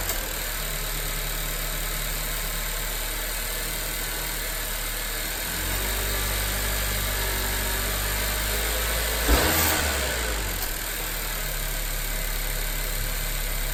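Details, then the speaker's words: 2018–2020 Honda Accord 1.5T with newly fitted PRL stage 1 intake tube, less baffled than stock: steady idle, then a quick rev with a short whoosh as the throttle closes; healthy, just a bit more induction noise. "You know, it does sound, like I said, a tad, I wouldn't say louder. You can just hear a little bit more of the induction noise."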